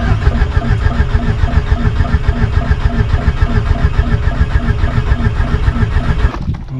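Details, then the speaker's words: VW Golf 1.8 turbo being started for the first time after the build. Starter cranks with a steady, even low chug and no firing, only turning the engine over to build oil pressure before the injectors are connected. Normal cranking. "on va refaire une montée de pression d'huile à l'ego montée en pression d'huile"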